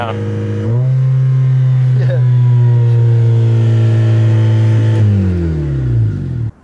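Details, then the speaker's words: Demolition derby car's engine holds a steady high rev for several seconds after throttle and only sags slowly, never returning to idle; car was also shuddering badly when driven. "hear the throttle though it doesn't idle"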